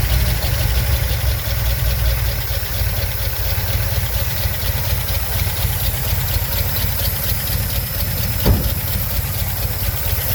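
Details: 1971 Ford Ranger camper special V8 with two-barrel Holley carb, previously broken down for years: steady, even low rumble with no knocks or misses at a settled idle; running healthy.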